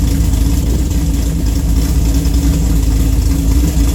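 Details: Engine with Pat G-spec cam (222/226, .629/.629 lift, 112+3), Solo cat-back with mid muffler and J-pipes, and Manzo headers: deep, lumpy idle and revs with an irregular stumbling exhaust beat; a bad misfire, cause unclear.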